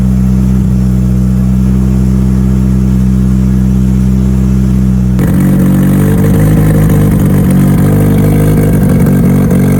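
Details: Mitsubishi Evo, cold start after new fuel pumps were installed, starting from zero fuel pressure: the engine catches and settles into a strong, even idle with a deep rumble and no misses or knocks. It runs healthy.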